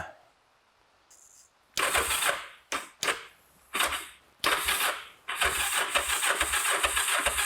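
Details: Kawasaki GPZ 500S twin left unused 3–4 years, fuel poured into carbs, extra battery charge: several cranking bursts and coughs, then it catches and settles into a rough, uneven idle; bike starts after long storage.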